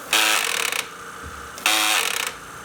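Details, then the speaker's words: BG9100NM battery sweeper with brush roll bound (rug corner, hair): two harsh bursts of rapid ratcheting clatter, a built-in warning; unbinding and pressing power resets it. "notice as soon as I Unbound it and reset it by pressing the power button that reset itself this is a feature of these sweepers to make certain that you know when the brush is getting bound up"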